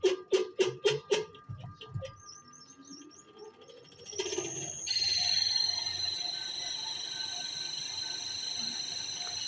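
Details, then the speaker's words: Super Asia spin dryer: after a few knocks, a steady high-pitched whining rasp while the drum spins; not the motor but the drum seal above it, whose bushing has too much play, to be replaced. "शायद आपको लग रहा हो कि ये आवाज़ इस motor की है, तो ऐसा बिल्कुल नहीं है, बल्कि ये आवाज़ इस मोटर के ऊपर लगी ड्रम सील की आवाज़ है, जिसके बुश में बहुत ज़्यादा गैप आ गया है और इसकी वजह से ये आवाज़ दे रही है।"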